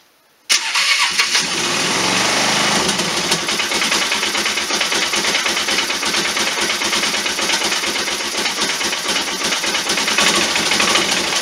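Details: 1998 Polaris Sportsman 500 first start after head gasket, camshaft and carburetor rebuild: engine catches cleanly and settles into a steady, even idle with no knocks or misses, partly covered by music; runs healthy.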